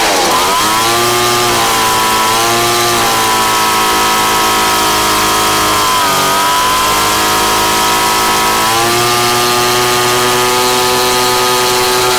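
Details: Craftsman 29cc two-stroke blower, once a no-start missing its spark plug and fuel, now with a Chinese aftermarket carb-kit plug: clean, high steady buzz, revving up and settling a few times with no misfire or stumble.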